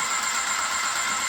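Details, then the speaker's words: Airless paint sprayer switched on in prime, pressure dial set, running fluid through after cleaning: steady high hiss and whirr from motor and pump, no surging or stalling; normal pump operation. "Turn it on, got it in the prime. I got it over here where I want it on the dial, and we're just going to run this through the machine."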